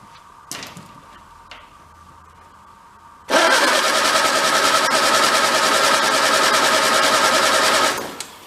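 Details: 1953 MG TD barn find parked since 1979, with jumper wires to the fuel pump: starter churns the engine steadily for about four and a half seconds but it never catches; the fuel pump later primed itself. Crank, no start.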